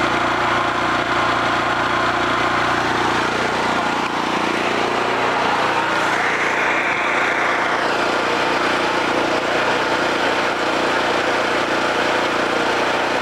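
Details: Homelite 5000 W generator after new carburetor and field re-excited with battery charger: steady even drone holding one pitch, no surging or hunting; running normally and producing power.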